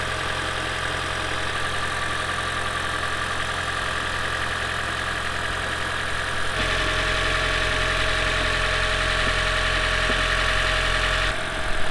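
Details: Lexus CT200h hybrid after cleaning the EGR and intake system and fitting an oil catch can, done to address cold start stutter from carbon buildup: engine catches and settles into a smooth, even idle with a slight rise midway; no ticking, knocking or hissing.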